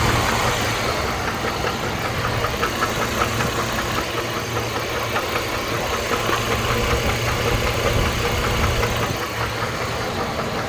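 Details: 2008 GMC Envoy, 220k miles, oil well maintained: dull, steady knocking two to three times a second under a rough idle; internal engine knock at idle, cause not yet found.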